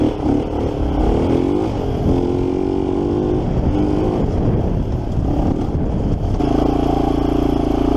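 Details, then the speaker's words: 1987 Kawasaki Mojave 250 after a carb job, throttle sticking: loud single-cylinder thump revving up and down with a loose metallic clatter; owner suspects timing chain slapping from a completely loose tensioner, not confirmed. "I don't know if you guys can hear it or not but she does start right up even with the throttle sticking a little timing chain smacking a"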